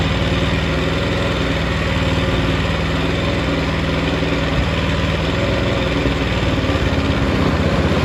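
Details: Yerf Dog go-kart, small single-cylinder engine after carburetor cleaning, fuel tank and filter cleaned, fresh gas, choke on: uneven chugging idle, stumbling and hunting; runs rough.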